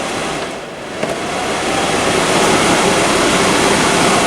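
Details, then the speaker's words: Holmes HAWF3020N 3-speed reversible window fan with a PSC motor, on high in the forward position, drawing 0.51 A and 61 W: a loud, steady rushing roar; noise excessive for the airflow it delivers. "got to be joking with this noise level. That is ridiculous."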